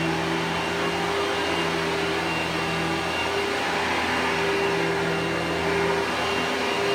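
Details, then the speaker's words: Simplicity 6570 upright vacuum, Tacony-made design, secondhand and long-lasting: steady, even motor hum with constant high whir and airflow rush, no surging or rattle; a more pleasant-sounding motor than cheap Chinese-motor uprights, though perhaps less powerful. "so this is a much more pleasant sounding motor so this is a better vacuum even though it might not be as powerful"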